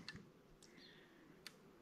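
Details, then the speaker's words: Electric fence charger with surge protector connected: faint sharp ticks about every 1.5 seconds in quiet room, meter needle not twitching as protector conducts and holds voltage safely low; normal fence charger pulse. "and you can if I'm really quiet you can hear it ticking and you can see the needle doesn't even twitch when it ticks"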